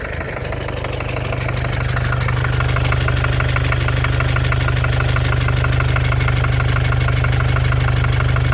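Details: 2014 Mercedes with OM651 diesel, 300k mileage, at idle from a distance: a sharp, even hammer-like knock about three per second, the same cold or hot; it persists after replacing the injectors and hydraulic lifters, and the owner doubts it is the crankshaft.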